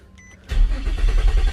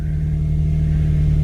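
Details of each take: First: 2006 Infiniti G35 coupe, failed at several mechanics, after fitting OEM throttle body but wrong part installed as crankshaft sensor (crank code). Engine cranks, catches, runs roughly about five seconds, then stumbles and dies; won't idle. Stalling after start from wrong crankshaft position sensor. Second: 2006 Infiniti G35 coupe after fitting correct crankshaft sensor and OEM throttle body. Low, steady idle holding an even beat, no misses or cut-outs, running smoothly on its own. Normal idle.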